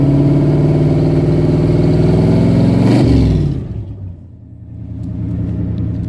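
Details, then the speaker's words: 1977 AMC Matador sedan V8, 46,333 miles, missing muffler: raw, loud booming rev climbing then dropping back to a deep burbling idle; loud exhaust from missing muffler. "tell me that does not sound amazing that just sounds awesome"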